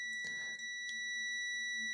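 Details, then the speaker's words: Siera 5521 / Philips 22RH521 vintage amplifier power supply rebuild, multimeter continuity test at a filter capacitor negative lead: steady unbroken high beep shows continuity; capacitor wired in incorrectly. "I wired that cap in incorrectly."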